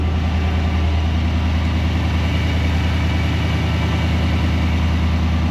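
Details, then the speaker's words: 2020 GMC Sierra Denali 6.2 V8 after replacing the idler pulley and stretch belt to cure a terrible whine: steady, even idle with a low smooth rumble and no whine left, including when revved. "it's gone that was it okay look sometimes you screw up and get something right you know"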